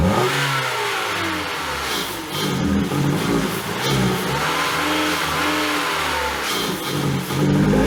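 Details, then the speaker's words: 2012 Ford Fusion unrun for three years with no hood, engine full of water: it catches and runs, rough but holding speed through throttle blips, after a frozen electric throttle body freed up; runs decent. "alright guys there you go this car has not run for three years with no hood at it it was full of water still fired up and ran decent"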